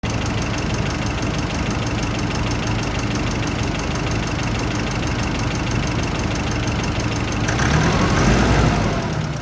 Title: Nissan Pathfinder R51 Turbo Whine part 2